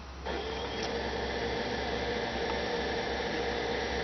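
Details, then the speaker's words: 2006 Toyota Prius coolant bleeding after coolant change: electric coolant pump switched on, steady hum with busy bubbling, gurgling as funnel level drops; air still trapped in the cooling loop. "and the level in the funnel is going down. Hear a lot of gurgling sounds."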